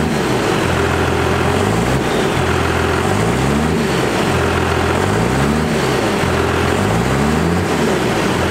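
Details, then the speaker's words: 1st gen Cummins diesel, power screw readjusted for new 3200 governor spring, rev test for sticking: idles evenly, revs rise and drop back cleanly several times without hanging; normal idle and revs. "but we got the first chin pump sorted out apparently the power screw just had to be readjusted with the new 3200 governor spring due to basically it changing the feeling a little bit"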